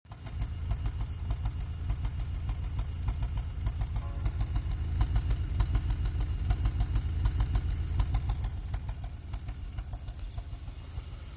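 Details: 2002 Honda Accord F23Z5 engine at idle: low, uneven stumbling beat with about a hundred irregular puffs a minute; misfire at idle.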